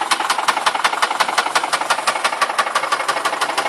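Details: Nissan Cefiro VQ20 engine at steady idle: sharp, even ticking knock about three times a second, a loud internal engine knock; engine judged beyond repair and in need of replacement.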